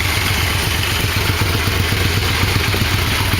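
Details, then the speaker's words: 1987 Yamaha V-Max after engine installation and carb sync via gauges: steady, even idle pulsing about four beats a second, no misses or hunting; cylinders balanced, idle slightly low but motor runs fine. "anyway successful motor installation it all seems to work fine"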